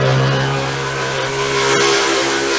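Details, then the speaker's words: Small garden water pump drawing water through a filter: loud, steady drill-like whine with low hum underneath; pump sucking in air through failed seals at the filter joints. "filter was sucking in air. There's a problem with the connections. I need to get better sealed connections. Oh, I have to get rid of that, it's so loud."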